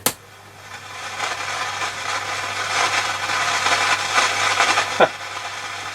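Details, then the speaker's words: Hacker Super Sovereign RP75 transistor radio amplifier board after replacing TR1 and then TR2: irregular crackling and scratchy pops over a faint hum with a sharp crack, at minimum volume; crackle persists, cause not yet found. "if anything that's noisier so wasn't tr1 okay tr2 changed so another look oh dear still noisy"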